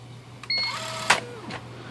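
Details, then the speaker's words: IBM Wheelwriter 10 typewriter carrier binding: brief whirring squeal from the carrier stepping motor, then a sharp bang as the stiff carrier slams against the rail and jams, having lost its position. "so the trouble with this is that's a carrier is a little stiff to move the main that noise is coming from this motor right here the stepping motor"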